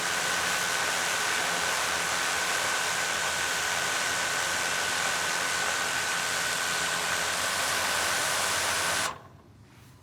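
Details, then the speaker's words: DJI Mavic Air 2 idling on a hard table with stock DJI props, no stick input: steady, even rushing hiss with a fixed high tone, holding solid with no shaking, unlike the vibrating Master Airscrew props. "solid okay one more time with the mavic air 2. stock props and again holding solid in place not shaking at all once again not touching anything on the sticks just letting it idle"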